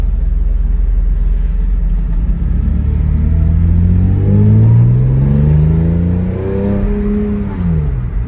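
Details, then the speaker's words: V6 swapped MR2 first drive, hard pull under load climbing through gears: coarse raspy edge over exhaust drone; raspy note suspected to come from Y-pipe design, as on a friend's build, not confirmed; owner finds it acceptable. "But it sounds amazing. Has that raspy sound which my buddy So90's MR2 complained about on his build."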